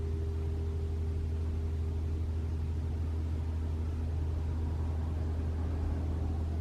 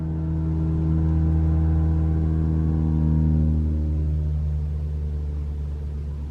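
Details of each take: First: 2021 RAV4 Prime SE in EV mode, cabin heat on Auto with AC off at about 47 degrees: a low, steady, even heat pump compressor hum with no honking noise, which is normal. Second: 2021 Toyota RAV4 Prime SE started in EV mode after charging, AC off, about 64°F: loud steady horn-like drone for a few seconds, then pitch drops and fades; the known abnormal heat pump noise.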